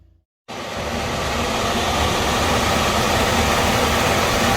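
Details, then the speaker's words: HVAC furnace blower after replacing the blower wheel that caused a screeching noise, AC turned on: blower spools up to a steady, even rush of air with no screech or scrape; normal blower operation. "right hear that runs well no horrible noise"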